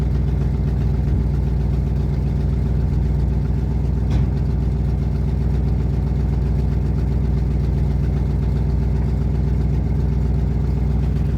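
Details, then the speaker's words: 1972 Ford F250 truck, carburetor barely getting gas: rough idle, deep uneven pulse around four beats a second that wavers and stumbles; owner suspects a clog keeping it from pumping enough fuel, unconfirmed. "But for whatever reason, it's not pumping enough gas. There's a clog or something."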